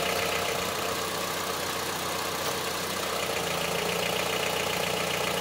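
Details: Honda CR-V III 2.4 engine at steady idle with a hard, diesel-like clatter about three to four times a second; engine knock at idle, source unclear.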